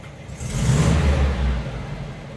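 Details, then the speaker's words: 1971 VW Bus air-cooled flat-four, warm with hot oil after a drive, hot and cold starts fine after another shop failed to fix it; short rev blip rising and settling smoothly, no knocks or misses; normal running. "I mean, it sounds good. I mean, it really does. Sounds healthy."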